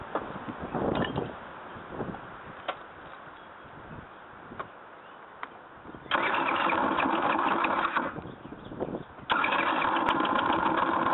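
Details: GY6 scooter engine catches and idles unevenly, then revs in bursts with a clattery mechanical rattle; abnormal noise, source not yet identified.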